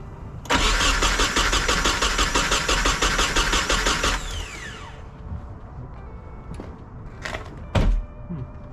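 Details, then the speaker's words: Nissan 240SX with freshly swapped replacement KA24DE, started fine earlier, now cranked with a little gas to reach operating temperature; even cranking pulses for about four seconds, never catches, crank no start; crew suspects something was disconnected. "What the fuck? It just started earlier. Give it a little bit of gas."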